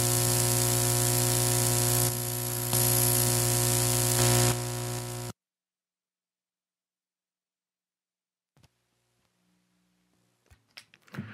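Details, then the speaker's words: Parts Express 240-398 line matching transformer whose cable shield is unconnected, an unshielded twisted pair on a high-impedance unbalanced signal: a heavy, constant low hum for several seconds, then near silence once disconnected. "so the problem is that the the shield and the cable is not connected so basically they're using an unshielded twisted pair on the high impedance unbalanced signal which is pretty stupid"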